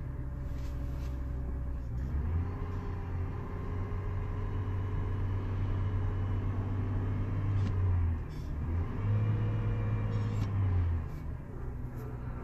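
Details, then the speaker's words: 2003 GMC Envoy 4WD 4.2 L straight-six after a cylinder 4 misfire diagnosis by coil swap, spark plugs pulled: brief stumble after start, likely oil dropped in the cylinder burning off, then an even idle with no misses. "so we're looking at current misfires misfire cylinder to see it smoothed out there's no misfires"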